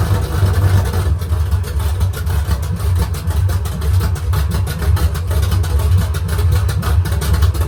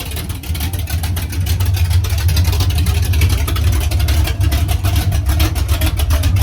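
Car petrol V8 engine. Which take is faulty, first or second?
first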